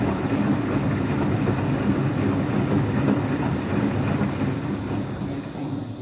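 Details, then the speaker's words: Washing machine on rinse and spin with an empty drum: heavy, steady, coarse roar throughout the spin; owner suspects both the motor bearing and the drum bearing are bad, no leak seen. "I actually think it's both bearings. I think it's both the motor bearing and the drum bearing that makes noise. That's what I think."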